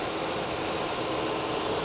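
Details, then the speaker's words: Honda at an auction yard, about 190,000 miles and 24 years old, with the air conditioning cycling. A steady even idle hum with no knocks, misses or belt squeal over two seconds; sounds solid; normal idle. "but it sounds good solid as a rock 190 something th000 miles 24 years old and she sounds good"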